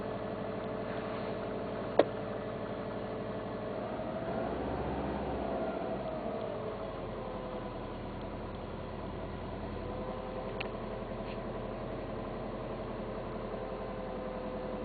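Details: 2002 Subaru Impreza WRX cold start; light quick ticking in sync with rpm, fading almost fully at normal operating temperature; owner suspects timing belt tensioner, lifters, oil or fuel, unconfirmed.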